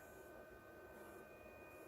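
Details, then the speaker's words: Hippo Tool ZD-8915 150 W desoldering gun (Pro'sKit SS-331H), new, heating toward 160: faint steady electrical buzz with fixed high tones, unchanged as it heats, coming from the gun itself; owner says that's not good. "don't if you can hear that that buzzing yeah it's that's not good"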